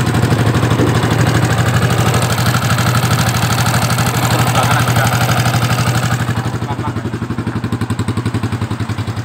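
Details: Yamaha Vixion motorcycle engine at a rough idle: an uneven beat with a light, quick ticking on each firing stroke, pointing to loose valve clearance in the head.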